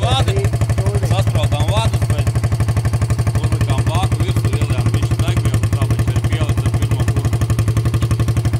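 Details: Yamaha TT600 single on its first kick-start after an engine overhaul (new cylinder and piston, gearbox gears replaced, head redone, fresh oil): an even thump at about four beats per second with no knocks or misses. This is a normal idle.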